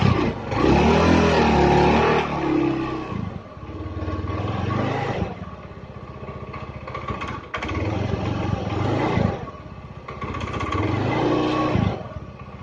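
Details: Honda Beat single-cylinder scooter engine after total teardown and rebuild for rough noise, hard starting and oil burning: revs and settles in even waves, light clatter but no heavy knock; running normally.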